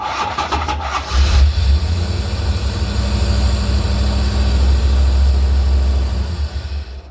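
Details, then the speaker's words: Chevy 350 with headers, freshly rebuilt, hot restart at about 195°F coolant right after a test drive with a new heavier starter replacing a heat-soaking OEM one: about a second of labored cranking then catches strong; owner suspects ignition timing too advanced; slight cranking hesitation on hot start. "You notice that there was a little bit of hesitation there at first. That timing is not adjusted at all, so I imagine, if it's too advanced, it's gonna have a bit of a hard time starting,"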